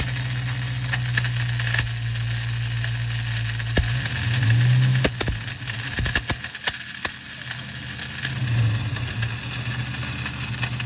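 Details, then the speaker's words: Ford Mustang Bullitt idling with harsh scraping rattle and irregular clicks, heard at the clutch inspection plate with belt removed; traced to the starter drive not retracting and dragging on the flywheel; throwout bearing ruled out. "finally we checked the starter and it definitely sounded like it was coming from the starter so our idea was the starter was probably not fully"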